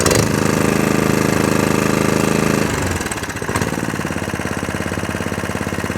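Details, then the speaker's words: Atco Balmoral 17SK cylinder mower with metal roller, after fuel tap leak fix, cutting grass: single-cylinder petrol engine at steady even beat settling slightly lower, no knocks or misses; healthy and ready to ship. "it's chucking grass out the box lovely comes with a metal roller does it everything it says it should do"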